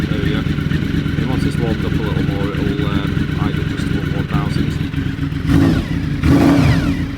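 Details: Honda V4 motorcycle cold start, choke on full, mild weather: quick even pulsing idle with slight choke-raised lift, no knocks, ticks or rattles; healthy warm-up.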